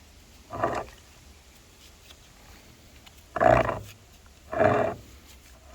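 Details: 2000 Toyota Camry A140E transaxle torque converter, removed and turned by hand: loud gravelly grinding growls in bursts. Suspected internal breakage, with possible metal shards in the transaxle; not confirmed.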